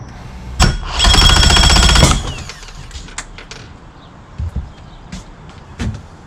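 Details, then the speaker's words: 2005 Mercury Optimax 115 two-stroke outboard after replacing ignition, kill switch, battery, plugs and a used PCM, with fresh fuel: about a second of fast cranking, then sharp pops as it stops; won't catch and backfires; owner suspects injectors, not confirmed. "heard two backfires definitely wasn't doing that before so that's good I'm almost thinking I should put some water to it now it's like cranking and it's stopping cranking and stopping"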